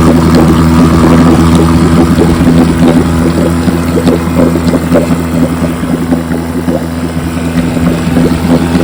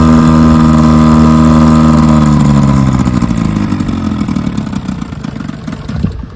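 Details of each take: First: 1957 Johnson 5.5 HP outboard on a 5-minute test run after conversion from a dual-line pressurized tank to a single-line tank with a pulse-driven fuel pump: even, steady two-stroke buzz with crisp firing and no misses or knocks. Normal running. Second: 1957 Johnson 5.5 HP two-stroke outboard in a test barrel: steady buzz sags and fades as it dies within seconds; no cooling water coming out, suspected not pumping water.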